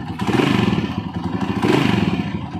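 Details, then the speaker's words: Honda TMX single-cylinder motorcycle after tune-up and valve clearance adjustment, idling: light quick metallic tapping from the cover carrying through small revs; ticking at idle attributed to the cam follower. "Guys parang maingay yung cover nito aan sig yan yung lagitik na yun C follower yan Yan yung naka-idle ka lang tapos lumalagitik yan C follower yan"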